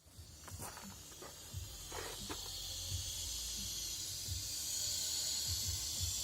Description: 300zx tt hissing noise problem any ideas please.